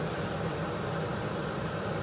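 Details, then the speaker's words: Plymouth Fury scrap car, cranked off a jump box: steady even starter whir with no compression chugs, engine not turning; owner suspects a chewed-up flywheel with no teeth left; starter spins but engine does not crank. "yeah the motor ain't turning something's going on with the starter I'm hearing this Illinois engaging and it sounds like it's spinning"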